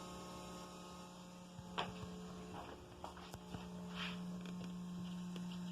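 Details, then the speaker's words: 1989 Ferrari Mondial T fuel pump run by a test switch at the relay socket after new fuel pressure regulators: faint steady hum, pitch shifts as the rail reaches about 58 psi; normal, healthy pump operation. "because right now i've got my test switch hooked up to the fuel pump relay and i'll just manually fire the fuel pump probably hear it right now"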